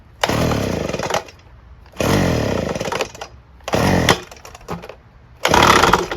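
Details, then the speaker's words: Craftsman 3 hp edger, taken off choke with ether sprayed into the carburetor: it catches in short ragged bursts of about a second, dying between each and never running evenly; a broken connecting rod is suspected but not confirmed. "see that doesn't seem right i think something's busted yep i think the i think the connecting rod is busted something just broke inside this doesn't work"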